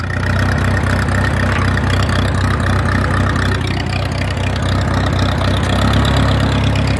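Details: Massey Harris 22 tractor, way cold, plenty of gas, sticky clutch: steady starter churn, turning over but never firing; cranks but won't start, owner will investigate.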